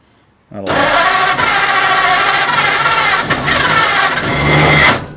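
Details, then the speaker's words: 1940 Ford Deluxe coupe barn-find flathead, poor negative battery cable connection, carburetors due for rebuild: engine spins over steadily about four seconds with uneven catching but never runs on its own; definitely wanting to start. "okay it's definitely wanting to start i'm gonna have to do the carburetors anyway"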